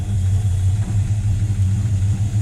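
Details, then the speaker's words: Buick Skylark V8 after carb work, idle set, mixture screws about two turns out: deep steady idle with even low pulse, no misses or knocks; running pretty good though fuel leaks and rear float bowl level remain. "yeah running pretty good um there's a few fuel Lakes I gotta figure out but and I still got to set the rear float Bowl level but she's doing good"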